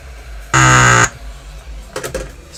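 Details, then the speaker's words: Apple HomePod with 'death farts' fault: sudden loud half-second low buzzing blat as amp DC offset slams the subwoofer, then restarts; needs new capacitors. "well there's your death fart that's what it sounds like"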